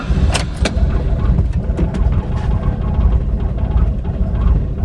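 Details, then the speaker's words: Mitsubishi Lancer Evolution IX on a cold start: lumpy, uneven idle with irregular thumps and sagging beats, stumbling and nearly dying; it runs fine once warm, and the owner first suspected the tune. "it idles super rough at when it's cold and it really drives me nuts when I'm warming up the car it basically stumbles around and almost dies"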